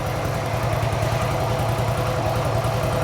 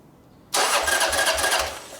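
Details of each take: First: Harley motorcycle after repair, idling steadily and evenly at about three and a half pulses per second, with no knocks, misses or surging. Normal idle. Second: Motorcycle cranking for about a second and a half with a steady pulse but never catching; very little fuel found in the carburetor. Cranking no-start from fuel starvation.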